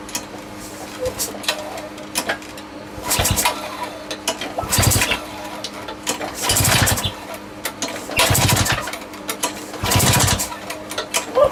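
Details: Small lawn mower engine just reassembled with a homemade big-end bearing shell runs but surges and dies back unevenly every couple of seconds, never steady; owner hears a leak squeak somewhere, cause not confirmed; erratic running.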